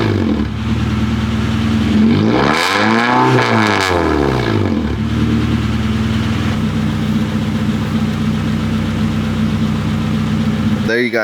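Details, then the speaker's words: Honda Prelude H23A1 engine after timing belt, valve lash adjustment, new plugs, wires, distributor cap and rotor, and ignition timing set: steady, even idle, no ticking or misses; sounds much better; normal idle. "have it the engine sounds a whole lot better if you guys had heard it through the camera"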